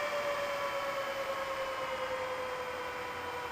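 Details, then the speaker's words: Meanwell RSP power supply fans in a single BLF188XR LDMOS amplifier, previously jet-loud, after turning fan speed down: soft, even airy whoosh with a faint steady tone near 600 Hz easing lower; quiet, normal running. "really low now as you can hear oh yes that's actually I say that's part about perfect"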